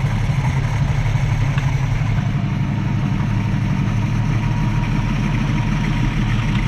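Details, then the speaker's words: 1965 Mustang straight-six after carb bench adjustments to choke plate and tang and reconnecting the heat riser tube: smooth steady low burble around 800 rpm, even beat, no stumbles or knocks; healthy idle. "i'm happy with that [Music] that sounds so much better hopefully we have this all figured out"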